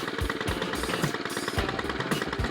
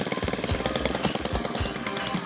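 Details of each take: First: Stihl FS 91 two-stroke trimmer after overdue tune-up and new spark plug, primed five pumps and cold-started: slow, lumpy popping idle with uneven gaps, close to stalling; idle speed set a little low, needs turning up. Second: Stihl FS 91 string trimmer after a basic tune-up with the idle raised, having sputtered and nearly died before. It now has a brisk, steady two-stroke idle that holds without sagging and runs healthy.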